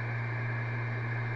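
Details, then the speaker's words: Sony DRX-500UL external DVD/CD rewritable drive playing a music CD on a Vista laptop: after stopping playback, a loud steady hum and whir continue as the disc keeps spinning. "let's just stop it see what happens very loud i could hear it very loud"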